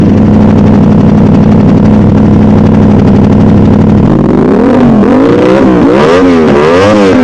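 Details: Modified Aprilia RS660, first start on the newly loaded remap, not yet warm: settled twin idle, then sharp, clean throttle blips rising and falling quickly with no hesitation or popping; normal start and revving.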